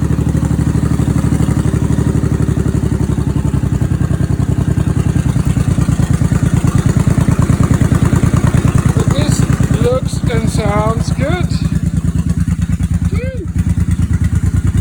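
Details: 1989 Honda Shadow VT1100C bobber with open air filter intake and new small fuel pump: an even, deep loping beat of about three pulses a second holds steady; runs smoothly, normal running.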